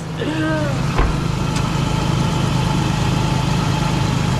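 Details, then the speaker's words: Toyota Tacoma idling after a cracked flexplate was replaced: steady, even low idle with no tick or knock; the earlier intermittent ticking noise is gone, engine healthy and quiet. "No laughs. That is a beautiful sound. Nothing."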